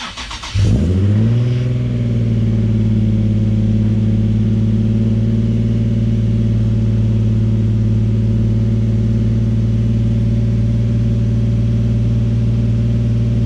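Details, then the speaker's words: Nissan 350Z engine's first start after replacing the upper oil pan, damaged because of a sensor. Cranks, catches quickly, settles into a steady, even idle with no knocking or ticking; white smoke follows. "We have fluids in there now, so at this point I think it's time that we give her a start."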